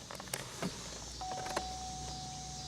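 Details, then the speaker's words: 2000 Chevrolet Impala with a security fault, key in accessory: short steady whir of the power window motor, even pitch with no grinding or stalling; the electric windows are the only thing working. "Nothing works but the electric windows. The electric windows work right here."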